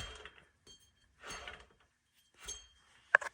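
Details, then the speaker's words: Ford F-150 5.0 rear hub turned by hand after shaking on the road: three loose, gritty bursts of clinking like rattling loose balls; rear wheel bearing has disintegrated. "yeah hear the bearing yeah bearings not existed"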